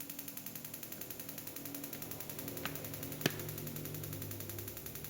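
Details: Interrupter box for spark plugs, power supply around nine volts, switch just turned on: rapid, even snapping ticks about nine or ten a second over a faint fan hum; coils firing the plugs cleanly and regularly.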